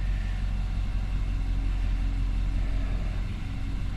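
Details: 2019 Nissan Armada, warm engine, A/C and accessories off, after throttle body cleaning, during idle relearn: low, smooth, even rumble with no misses, knocks or hunting; normal steady idle.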